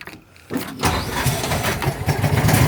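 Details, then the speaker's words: Warm John Deere 225 riding mower engine after jump starting, with a suspect battery: a brief quiet, then it catches at once and settles into a steady, even run; a clean, normal start. "Yeah, see, it fired right up."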